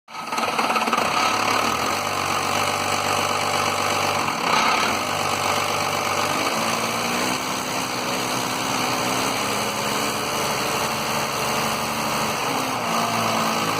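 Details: 1993 Dodge Cummins diesel with rough idle and low power: uneven idle with a speed dip around four seconds and wavering beat, periodically cutting out; lift pump suspected, not confirmed.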